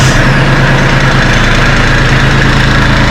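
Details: Kubota LX2610 compact diesel tractor at 49.8 hours, in neutral with brake on, just started after glow-plug warm-up during 50-hour service: steady diesel clatter at an even idle, no misses or knocks; normal healthy idle.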